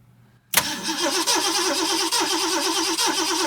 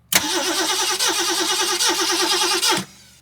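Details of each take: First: 1969 Ford Mustang V8, one owner, 59K original miles, sat 30+ years: even rhythmic starter cranking during a compression test. Readings are cylinder 5 about 95, 6 about 120, 7 about 115; weak spark suspected. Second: 1969 Ford Mustang, 59K miles, sat 30+ years: steady cranking with even compression pulses but it never fires. No spark after the points gap was reset from about 30 to 21 thousandths.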